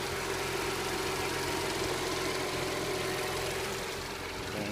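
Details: 2000 Audi S4 after sudden smoke from engine bay and exhaust while driving; owner suspects blown turbo. Idle uneven and lumpy with irregular knocking beat about four a second over hiss; rough when revving.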